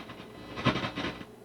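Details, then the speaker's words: Acoustic Control Corp 260 amp head with bias set at about 0.59 A. Irregular scratchy, crackly bursts come through the volume preamp as the control is moved, while the other, already re-soldered preamp is clean. Probably cold solder joints needing re-soldering. "that's actually going to be coming through the volume preamp over here because the other preamp doesn't do that after I touched it all up so chances are these just need a bunch of resoldering joints"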